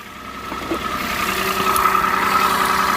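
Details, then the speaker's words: Peugeot 107 three-cylinder on a cold day, after replacing the dead coil pack: steady idle with a faint lumpy pulse but no misfire. Runs fine. "There you go. Still rough, but it's a 3-cylinder, so it will be."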